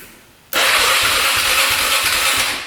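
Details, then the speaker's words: 2002 Honda Rubicon 500cc ATV, 5,000 miles, seller says it only needs a carburetor cleaning, battery hooked up, no codes: strong, quick whirring crank with even compression pulses about three a second, no dragging or clicking; normal starter cranking. "Sounds pretty good. Electric start's working."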